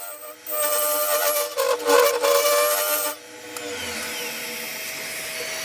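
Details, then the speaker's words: Wood lathe turning a yew log goblet, negative rake scraper smoothing the inside: harsh ringing chatter while cutting, horrendous vibration of the workpiece. "still getting horrendous vibration here as you can hear from the"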